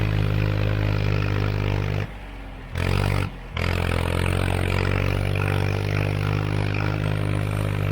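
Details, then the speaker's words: Tractor after a tune-up (hydraulic fluid and filter, spark plugs, O-ring, air filters) on a test drive in what the driver guesses is fifth gear: deep, steady drone pulling hard uphill with even firing and only two brief drops; healthy under load on the hills. "I wanted to take it up to the shooting range, make sure it was going to be able to handle these hills all right, and I mean, it handled it better than I could have imagined."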